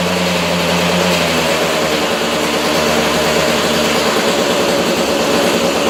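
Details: 2002 KTM 200 EXC two-stroke, first start-up after top end rebuild: crisp, fast crackle at a steady high idle, even and without knocks or misses; normal healthy running.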